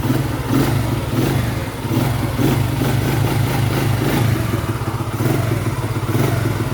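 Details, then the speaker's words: Restored Honda Astrea Star single with a knock-off (KW) carburettor, idling with loud, fast, even valvetrain clatter. The engine is about 60% damaged: rocker arm had been ground, cam chain slack, camshaft damaged, which will affect its life and sound. "Ini kendalanya dari pelatuknya. Pertama datang pas saya bongkar itu sudah di gurinda, rantai ketangnya kendor, noken asnya kena gitu. Jadi ini ngaruh nanti ke lamsam ke depannya sama suaranya juga, Bu."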